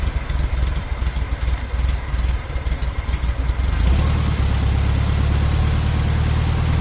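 Air-cooled flat-four catches and settles into a steady, even lumpy beat with no misses or knocks; timing sounds right and healthy.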